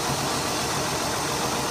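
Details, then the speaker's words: 2002 Ford Escape 3.0 L Duratec V6 idling roughly with an uneven stumbling misfire; swapping coil packs and unplugging each while running showed the misfire followed one coil, confirming a bad coil-on-plug ignition coil on a front cylinder. "no change so I know that this is a bad coil pad okay so I know that that has one bad coil pack"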